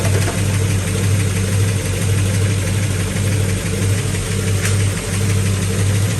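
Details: Possibly 1970 Pontiac GTO V8 with new 2.5-inch aluminized steel exhaust, after spark plug reorientation, idling while timing checked at about 10–12°: steady deep rumble, no misses, knocks or ticks; healthy, smooth idle.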